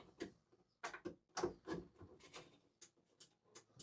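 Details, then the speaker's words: Ice-O-Matic ice machine not making ice, just running water, compressor not starting; harvest assist being refitted: light, dry clicks about three per second, unevenly spaced, no motor running; the bin control switch clicking. "That clicking sound is the bin control switch right here."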